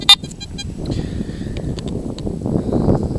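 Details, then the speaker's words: Garrett AT Gold detector over a seam of hot iron, ground balance reading 73, before test of the Garrett ATX pulse induction detector on small gold nuggets: faint wavering tones drift in and out over wind after a sharp beep; ground noise over mineralized ground. "So, you hear that? There's a seam here of really hot iron here."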